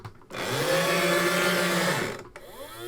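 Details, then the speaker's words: Sega Action GT VHS-based video game console, drive motor after cleaning and regreasing the mechanism: small motor whirs and strains under two seconds, then cuts off abruptly and restarts; gear train still binds, possibly badly made or worn. "it still gets stuck. I'm going to nudge. It seems to correct itself, but I don't know if that's even actually worse."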